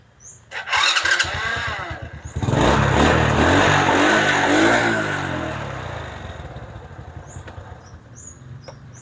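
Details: Honda Supra (DC CDI) motorcycle after battery recharge, aftermarket starter motor: cranks briefly on electric starter, catches, revs, settles into steady idle; hard electric starting traced to a weak pulser.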